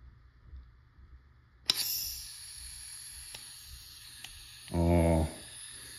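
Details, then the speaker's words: Nova N8 Fury (LL4D MCS) rocket launcher on 12 g CO2: a sharp shot pop, then a faint steady hiss as gas leaks past the rear Allen screw; it does not leak on HPA. "so I got a leak sounds like the screw again it sure is"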